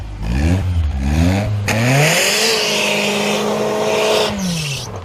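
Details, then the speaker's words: BMW E36 318is 5-speed, after fuel pump repair, European performance chip and security-system (EWS) bypass, launched in first gear for a donut: revs flare and hang high without pulling away, clutch slipping and smoking. "No. Did one spin? No, that sounded like clutch. Did it not spin at all? Uh-uh. Oh no. The clutch is smoky."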